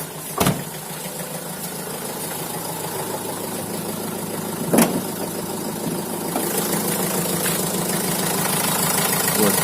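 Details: Opel Vivaro / Renault Trafic 1.9 diesel after alternator repair; crackle on the right side came from a failed rear alternator bearing: idle now a steady, even clatter with no crackle or rasp; normal idle.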